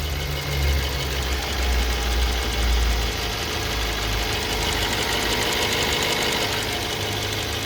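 Over a steady idle, a light rapid metallic tapping comes and goes in a fast even pattern, an intermittent knock from the engine.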